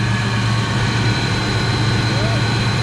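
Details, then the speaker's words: Fox-body Mustang V8 with Flowmaster exhausts, after about 12–13 years stored in a trailer: deep, steady idle burble with even rhythm, no misses or knocks; runs great. "it runs great I could get back here I want to hear the flowmaster oh yeah we got to hear the whole school flowmasters"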